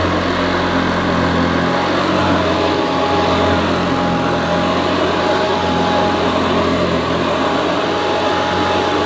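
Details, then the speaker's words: Hoover Senior U4003 vacuum, American model imported for UK on 240 V, 400/600 W: loud steady whirring with constant high whine, no surging or rattles, slightly different from Ranger Senior but sounds as it should; normal running. "sounds slightly different to our Ranger senior model but I think it sounds as it should please comment below if you think that sounds correct"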